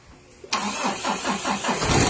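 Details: Mitsubishi Adventure hard start: the starter churns through about six slow cranking pulses over a second or so before the engine catches and rises to idle; charging measured at 13.6 V afterward.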